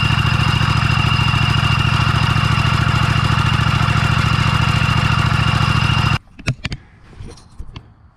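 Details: Scag V-Ride mower: steady high whine over an even small-engine idle, then shuts off; spraying the engine bearing and the other pulley didn't quiet it, hydro pumps suspected next.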